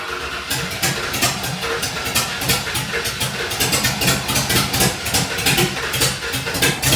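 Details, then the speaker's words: 1948 Ford F1 pickup with a swapped Fox Body Mustang V8 on open headers and no wideband, running a boosted-truck tune that doesn't suit the cam: a loud, lumpy idle with uneven, loping pulses and crackle; it idles rough and runs very rich. "Yeah, this tune is for Oh my gosh. a boosted truck, so it's like dumping fuel in there. It's not tuned for the cam that's in it."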